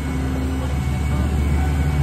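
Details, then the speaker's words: Jasper 4.3 marine engine run in a test tank, brought up to part throttle with no full throttle; smooth, even deep hum with plenty of power, after a carburetor hesitation earlier; later gauges show oil pressure, 120 and 60 quoted. "all right bring it up a little more sounds like it's got plenty of power"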